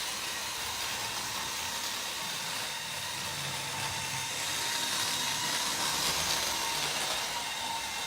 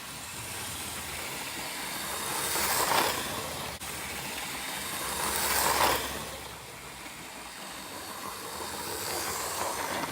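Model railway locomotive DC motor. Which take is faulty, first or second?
first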